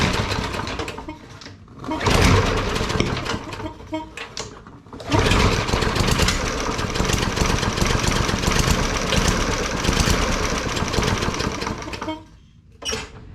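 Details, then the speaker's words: Bolens 20-inch push lawnmower, Briggs & Stratton 450 series 125cc engine: repeated rope-pull cranking with short ragged bursts that sputter and die, won't start; carburetor cleaning planned as the fix, cause not confirmed. "as you can see at the beginning of the video it would not start so we're going to go ahead and take the carbureto"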